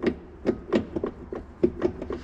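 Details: IHC 733 tractor ZF front axle, with the hub stub turned by hand and the engine off: irregular sharp knocks from play in the axle drive. The owner suspects a broken U-joint and the sun gear being pushed against the planet carrier by the half-shafts.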